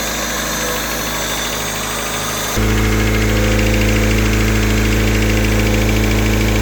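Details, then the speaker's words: Honda K24 engine with 315,000 km, settling into a steadier, louder idle with quick, even ticking at about four per second; the owner suspects worn, noisy valves. "Ben franchement, on dirait que les valves commencent à être du m il y a 315000 kg aussi le bloc parce que il c depr"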